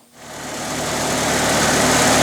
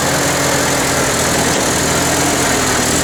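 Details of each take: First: International 354 tractor that sputtered after 30-40 minutes of bush hogging, after a carb clean that didn't help, a wire fix, and points cleaned and reset to 14 thou: it starts and runs steadily for 3-4 minutes without sputtering; ignition was the cause. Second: International Harvester 354 tractor petrol engine idling unevenly, spitting and sputtering after running well for a minute; carburetor cleaning didn't help, cause was ignition, fixed with new points and condenser.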